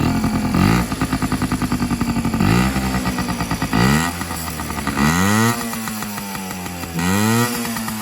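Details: 1995 Yamaha PW50 two-stroke, fully rebuilt after long sitting (carb, cylinder top end): crisp buzz idling, snapping up and falling back cleanly on each blip, no rattle or hesitation; healthy running.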